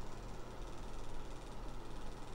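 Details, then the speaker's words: USB-powered LED fireplace simulator gear motor after regreasing the gears: a steady low droning hum with a rough buzzy edge, now getting quieter; the owner suspects the motor's own bearing is also worn. "i wonder too as if it is it also the bearing in the motor itself"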